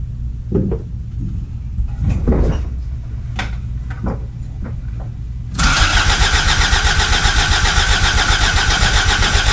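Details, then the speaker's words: 1986 Toyota MR2 AW11 after fuel pump replacement and tank reinstallation: uneven starter churning, then it catches into a loud, rough run with some smoke, after an earlier backfire. "that it did it it did it smok in a little it absolutely did it"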